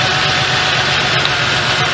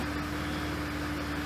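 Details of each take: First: 1998 Ford Ranger 4.0L with a check engine light and a cylinder 4 misfire, idling while plug wires are pulled one at a time. The uneven idle stumbles every few beats; cylinder 4 is dead from a bad spark plug with no carbon tracking. A tune-up of plugs and wires is planned. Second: 1998 Ford Ranger 4.0 V6 with about 230,000 miles, a slight cylinder-four misfire, idling in gear with foot on the brake: an even, steady hum with no major dips. The idle is smooth enough.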